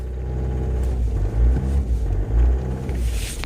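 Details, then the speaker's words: Opel Zafira 2.0 TDI diesel, cold start after sitting all day, warning light permanently on: rumbles unevenly and surges in bursts as the throttle is pressed to keep it running; cannot hold idle on its own, cold start rough idle. "Voilà, tu vois, donc là, premier fail parce que elle est froide. Elle tient pas vraiment le ralenti."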